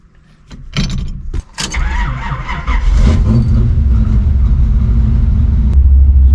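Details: Older car with Muncie 4-speed and straight-cut reverse gears, engine running: idling, then a harsh rasping grind as reverse is engaged while gears still spin from forward-gear momentum; shifting into second first avoids it.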